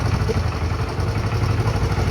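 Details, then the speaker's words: Honda Pop 110 single-cylinder motorcycle, hard to start, idles with no throttle at an uneven loping beat and engine clatter, camera near the engine, then stalls on its own; rough idle, cause unconfirmed. "A moto acabou se desligar sozinho. Nota que a moto não está boa, segurando e lenta."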